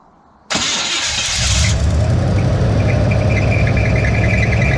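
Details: Big-block Chevy V8 in a truck, not run in years, carburettor filled by hand, Marvel Mystery Oil in cylinders causing smoke: brief crank then deep steady idle without misfires; compression guessed to be decent.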